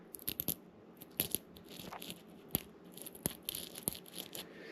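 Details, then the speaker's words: 2002 Honda CR125 two-stroke engine rebuild after a seizure: old bearing from the cylinder, likely the power valve, turned by hand gives a dry, gritty crackle with uneven clicks; worn and rough, to be replaced. "not sure that bearings are supposed to sound so crispy"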